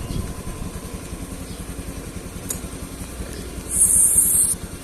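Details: Honda Beat eSP scooter with sudden stalling, code 52: even, steady low idle with no misses or stumbles over about five seconds; the speedometer cable fault was left unrepaired.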